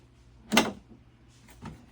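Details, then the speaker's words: Jeep TJ Wrangler door latch after lubricating and refitting the threaded lock rod: one sharp clack then a softer click; latch throws cleanly, door lock working normally. "Yes, that's the sound we want. So, check it out. Let's lock the door."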